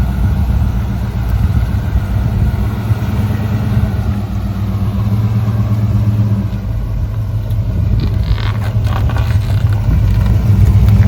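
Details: 1965 Ford Ranchero after a new cam, lifters and timing chain to cure a valvetrain tick, first run held at 2,000 rpm for cam break-in: steady, smooth low rumble with no valvetrain ticking, normal fast idle.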